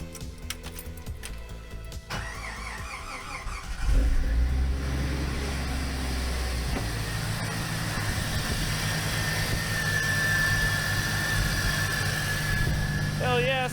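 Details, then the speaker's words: Jeep YJ idling steadily and evenly after belt retensioned to about half-inch deflection to cure a whine; no belt or pulley whine, front end sounds healthy: normal idle. "sounds minty fresh to me boys looks like this thing should be good to go for my snow run"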